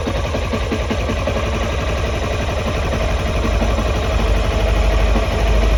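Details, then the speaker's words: Neglected, dirty low-mileage Honda CBR250R motorcycle started on a battery charger; thumps along steadily at idle with a low, even pulse, no knock or misfire; healthy engine. "hey it's honda she's alive"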